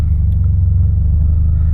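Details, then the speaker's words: 2000 Ford Focus 1.4 after cleaning the idle control valve for hunting idle, loud aftermarket big exhaust: steady deep rumble at about 800 rpm, even beat, no hunting; smooth normal idle. "looks pretty good at 800"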